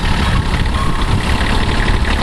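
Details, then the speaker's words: 1981 Kubota B6100 four-wheel-drive diesel tractor at 32 degrees after snow, little fuel on idler while hydraulics lift and lower the deck; steady low rumble with slight load changes, smooth and even, normal idle with hydraulics operating. "will you run the hydraulics real quick there on the left by your butt see the deck comes up and down up bring it up"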